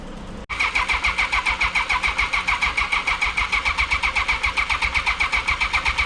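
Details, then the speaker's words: 1982 Honda CB750K with freshly cleaned carburetors, ignition hot-wired, temporary fuel tank, choke pulled: starter cranks steadily with even compression pulses but the engine never catches; crank no start, spark present, probably flooded. "All right, since I can't get a start, I want to see if it'll spark."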